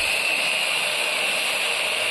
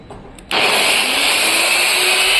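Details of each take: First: 850 W angle grinder on a 220-to-110 converter with variable resistor; turning the resistor down slows the motor, supply estimated around 100 V. Thin steady high whine well below full-speed pitch; motor slowed by low supply voltage. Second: DeWalt 850 W angle grinder run through 220-to-110 V converter with variable resistor: sharp switch-on, then high steady whine settling at full speed, smooth and even, no grinding; normal grinder running.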